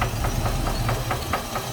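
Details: 1988 Chevy Caprice, 350 engine with a 650 cfm Holley carburetor: a sharp, regular knock about four to five times a second over a low idle rumble. The knock is felt through the valve cover. Deep internal knock, cause unconfirmed; the transmission has only 1st gear.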